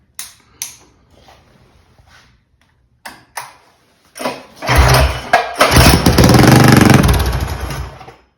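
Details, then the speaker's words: Mega Moto 212 mini bike with Mikuni carburetor, cold, repeated pull starts: engine turns with rough churning but never fires after mixture was richened; owner suspects mixture now wrong, earlier seemed too lean. "That's weird. It still won't even fire."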